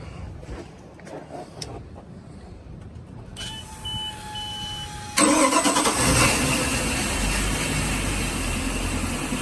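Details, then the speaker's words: Volvo Penta 5.7GI boat V8, 500 hours, after new cap, spark plugs, fuel regulator and battery charger: starter turns briefly, catches cleanly and settles into a steady even idle; healthy start. "Leave it running. There we go. Engine started. Battery charges in. And we're good to go."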